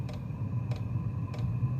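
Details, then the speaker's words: Chinese diesel parking heater after fixing the fuel pump (E-8 error after a power outage): sharp light ticks about every 0.6 seconds over a low steady hum while the glow plug ignites and the heater fires. Normal fuel pump ticking. "pump is running got ignition I can hear it fire"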